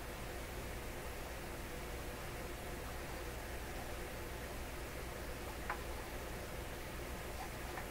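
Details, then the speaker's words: Electrohome Chippendale console tube radio with very low AM/FM output, after replacing one capacitor and letting the tubes warm: only a faint, even FM hiss with no stations, very low output, cause unconfirmed. "So, oh! Hey, something happened there. I can hear the hiss now, faintly."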